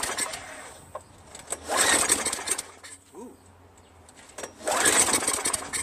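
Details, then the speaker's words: Craftsman Eager 1 22" self-propelled mower, Tecumseh 5.5HP engine, rebuilt carburetor fitted, before gas added: pull-start bursts a few seconds apart, quick chuff but never catches; cranking no-start, spark later confirmed. "Man, it wants to, you know what I'm saying? But it seems like it's not getting enough spark or something or fuel."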